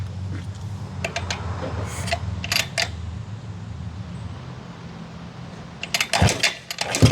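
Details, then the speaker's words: Stone-cold start of a 1968 Harley-Davidson (Aermacchi) 250 Sprint after a complete frame-off mechanical and cosmetic restoration: the single fires up and settles into a steady, even idle thump with a few crisp blips. Normal, healthy cold start and idle. "Oh yeah. Sounds good. Wow. This is one of the nicest running vintage Armakis we've had because it's had a complete, comprehensive frame-up restoration."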